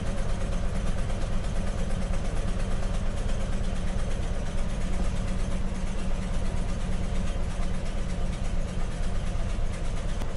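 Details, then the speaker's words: Ford F350 Crew Cab camper engine at idle; the VCM II scan tool shows a missing cylinder, and the owner assumes number two is the one not producing much power, reading low while three reads high. Deep, uneven, lumpy, stumbling idle: dead cylinder. "as you can see a missing a cylinder here my number two cylinder I assume that that is the one that's not producing much power"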